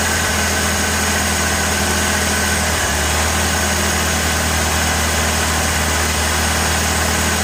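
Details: 1986 Ford Ranger 2.3L idling: uneven, lumpy idle with a dull stumble near three seconds over steady low hum; rough idle, likely misfire. Owner has had ongoing misfires despite changing many parts; cause unknown.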